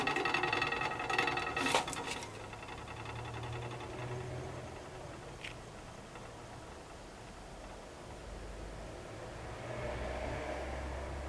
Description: Hot water tank noises when heating up.